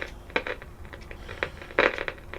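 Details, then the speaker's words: 1957 Bush VHF64 valve radio during its recap, on long wave: irregular sharp crackles and pops over a low hiss, several per second, while the phono input stays quiet; an intermittent crackle fault, source not yet traced. "so if I put it on long ways we have crackling"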